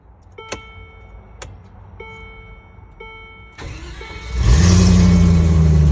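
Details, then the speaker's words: 2001 Land Rover Discovery 2 with a former no-crank when hot, started hot after a test drive. A few clicks, a brief crank, then a clean catch and steady idle. The replaced starter didn't help; the fix was a loose main ground at the alternator. "what it was a bad ground that's all a bad ground that was keeping my truck from running"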